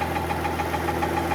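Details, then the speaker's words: 2015 Mercedes-Benz S65 AMG after full engine rebuild: quiet at idle, then sharp metallic tapping about seven a second when revved; the newly fitted starter motor, with more metal on its tip than the old one, is suspected of touching the engine. "So on idle it's quiet, and the moment you start revving it, starts knocking."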